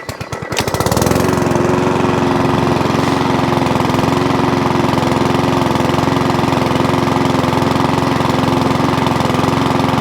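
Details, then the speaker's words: Old Mountfield 414 mower with a new spark plug and pull cord: it starts and settles to a fast idle with a faint hunting surge and won't restart from cold. A carburettor problem is suspected; a carb clean is planned. "yeah it's got a little tiny hunting surge to it a little tiny hunt and Surge and won't restart from cold"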